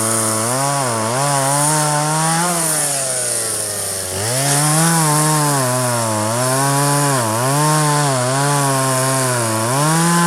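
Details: 1997 Poulan 2150 chainsaw, 23 years old, owner guesses 2.1 displacement; warm, just run; dull chain cutting box elder tops. Two-stroke buzz rising and dipping smoothly as chain bites, revving back cleanly; normal running under cutting load.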